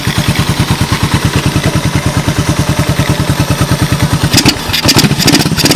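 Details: 1986 Honda TRX125 single-cylinder from a scrap yard, hotwired and run on a jump pack. Steady, even, unlabored idle thumping about three times a second, then a few clicks; no smoke and no bottom-end noise, engine healthy.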